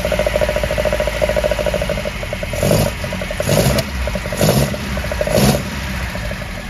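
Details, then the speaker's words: First run of a 1979 Ford RS2000 Pinto engine with a new billet alloy distributor and leads, static timing only roughly set, no strobe yet and no throttle cable. Idles with throttle blips, a steady even beat, good oil pressure, no tapping or smoke. Normal idle. "it's making good oil pressure and sadly a pinso engine always sounds awful in a on an iPhone so in real life it sounds really good no tapping no smoke making brilliant oil pressure happy days"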